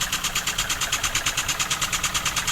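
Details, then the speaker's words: Newly built wig-wag model steam engine, first run on air at under one bar, needs running in: crisp, even exhaust puffs about seven a second, no knocks or stumbles; normal running. "so it needs running in oh how exciting and it worked oh can you believe it"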